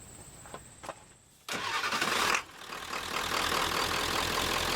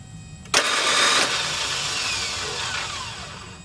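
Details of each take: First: Ford F250 7.3L T444E diesel with new upgraded starter, old one only clicked and needed several tries: brisk, fast starter spin under a second, then the diesel catches and settles into a steady even clatter. Normal cranking and start. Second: Ford F250 7.3L T444E diesel with new high-speed aftermarket starter: sudden high metallic whir winding down over three seconds with no cranking, gear not meshing flywheel; fixed by removing the original spacer plate as new starter's gear throw is shorter.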